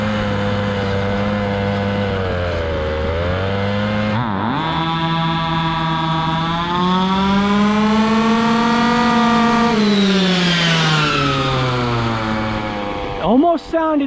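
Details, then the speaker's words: Stock 1:5 scale RC car at speed during carburetor tuning: small two-stroke screams up and down, then pitch wavers and stumbles near the end. Owner thinks it is running lean, missing a little fuel. "almost as if it's missing a little bit of fuel"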